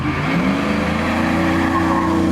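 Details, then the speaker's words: 2017 Shelby F-150, 750HP supercharged 5.0 Coyote V8, new stainless dual 3.5-inch megaphone exhaust, wide open throttle from a slight dig on wet road, in cabin: loud exhaust roar with steady supercharger whine over it, pulling hard; normal. "can still hear the supercharger whine over all that noise in the back. And this thing pulls."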